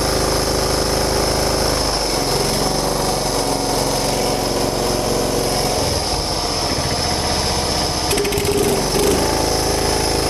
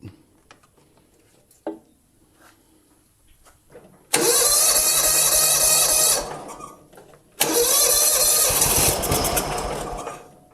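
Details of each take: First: John Deere Hydro 175 mower, was not running, after the soaking-wet wrong spark plug (BR8ES) was replaced with the correct BR5ES. The small single-cylinder engine runs steady and even at a fast pace, with no misfire or stumble. Normal running. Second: John Deere Hydro 175 mower left outside a long time, possibly with old gas: two cranking bursts, each firing only briefly before dying. The plug was soaking wet and the wrong BR8ES instead of the specified BR5ES, causing hard starting.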